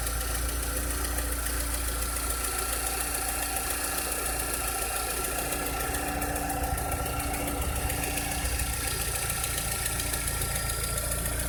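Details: 2006–2007 VW SpaceFox engine at idle: a steady idle with an uneven light knocking of about three or four per second over the hum; a strange idle noise whose cause is not identified.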